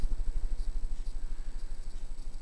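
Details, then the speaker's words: 52-inch Banvil FLT 552 series ceiling fan (suspected Heritage-made) on high speed, roughly 210 rpm: deep, even low hum pulsing about eight times a second; motor noisy at start-up, quieter once at full speed; hums a lot. "the motor is quite noisy when you first uh start it up but it gets quieter once it dumb gets the full speed"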